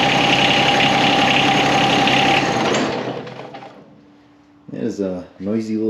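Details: John Deere X758 just after an oil change, started to check for leaks: busy, slightly rattly small engine running evenly before winding down; noisy by nature but nothing abnormal in the beat.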